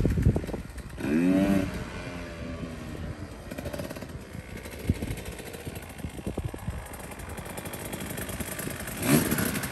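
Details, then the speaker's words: Idle of a KTM 150 XC-W two-stroke after suspension work, crisp popping idle with brief clean revs picking up and dropping back smoothly; less smoke right off idle; normal two-stroke idle. "Yeah. It sounds good, right? Yeah, sounds okay."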